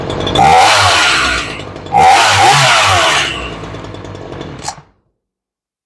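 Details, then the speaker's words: Crisp two-stroke snarl rising cleanly through two throttle blips on a Ryobi 3818 chainsaw after carb repair and high/low mixture adjustment; it starts well and runs healthy after long storage, though idle is slightly low. "she starts pretty good and considering she hasn't been started in a dog's years make sure everything's in place it idles just a tiny bit low"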